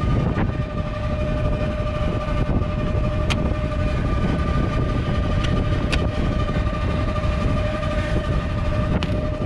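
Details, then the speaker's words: York rooftop unit, reported as loud inside the store, heard on the roof: a heavy continuous rumble with a steady whine; the blower bearing has failed completely. "that ain't good the bearing is completely gone the blower belt yep looks like the uh bolt came loose"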